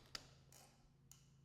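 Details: Suzuki GS750 with a new battery and the tail bulb pulled, after sanding the blinker contacts: crisp flasher relay clicks about once a second with softer off-clicks, so the turn signals now work normally.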